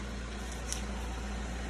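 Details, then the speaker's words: 2016 Ford Fusion backing up on a test drive after removing a few rocks stuck in the front brakes: only a low steady rolling rumble, no squeal or scraping; brakes now quiet. "All right, back her up. That sounds better."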